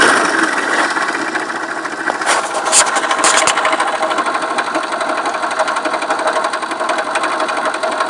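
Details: Viper Active engine at steady idle without revving: a fast, even ticking or knocking over the small engine; owner asks what is knocking, source not yet identified.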